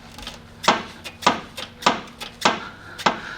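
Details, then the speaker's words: 2002 VW Jetta TDI wagon, 1.9 ALH turbo diesel, lower control arm rocked by hand gives sharp, hollow clunks about twice a second from worn front and rear bushings and ball joint, causing a front-end clunk. "See, the same situation. This is the front bushing, rear bushing, and ball joint right here."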